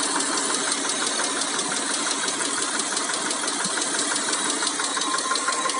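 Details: Mitsubishi Montero Sport 6G72 V6 at idle: quick, light, sharp ticking about three per second rides high over a steady idle, hydraulic lifters tapping.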